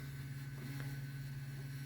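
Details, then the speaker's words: LightScribe optical drive in a 2008 HP Pavilion desktop during a Windows 10 install, spinning a disc: steady low hum with a thin higher whine; the drive works but sounds rough, cause unclear. "It's definitely working, but it sounds bad."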